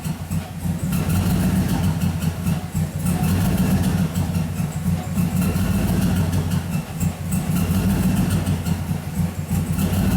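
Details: 2007 Cadillac Escalade V8 with check engine and traction control lights, hard starting: loping, uneven idle with irregular exhaust pulse dips; random misfire traced to cylinders 7 and 8, with 8 the main one.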